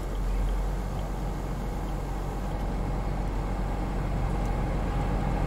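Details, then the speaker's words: 2000 Acura 3.2 TL at idle with air conditioning on, after replacing camshaft and crankshaft position sensors for misfire codes and rough idle: steady low hum, no squeal or chirp from the AC belt; sounds healthy. "Air conditioner belt sounds good. I don't hear any squealing."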